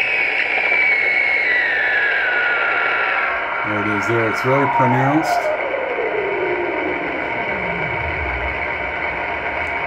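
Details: Ham radio receiving on 20 meters near 14.300 MHz: whistle sweeping slowly through static with repeating warbling tone bursts every about 29/58 kHz, drifting up and down the band; interference entering via the antenna, radio and house sources ruled out.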